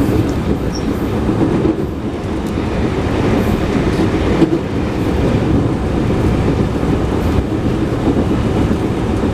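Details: JR 221 series Yamatoji Rapid (field-added excitation control, max 120 km/h) running between Oji and Kyuhoji: steady rumble with repeating thump about four per second from a wheel flat on the recorded car.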